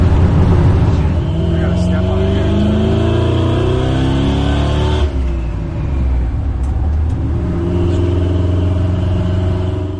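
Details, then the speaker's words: Custom-built old Chevy pickup with Holley Sniper EFI, now idling after the fix: it settles to a steady, even idle after a brief blip with no stumbling. It used to stall at lights from a lean spot, cured by cleaning up the bottom of the fuel map. "so there she is she's running perfect now and really all it came to down to was just the fuel map"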